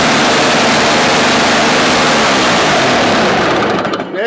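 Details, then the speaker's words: Toro CCR 1000 3 hp two-stroke snow-thrower, restarted; old stale gas had sat unused: loud raspy two-stroke popping at a fast steady clip, caught and keeps running, though the fault later returns. "All right, we got it going for him. There was old gas sitting in there because it wasn't used, and let's turn it back on again."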